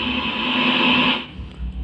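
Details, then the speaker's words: BOSS GT-10 guitar effects unit: loud steady FM-radio-like hiss that persists even with input shorted to ground; constant static from an internal short or leakage. "Jadi ini ngosos terus kemudian input Saya matikan bisa konsletkan ke ground ya dia tetep"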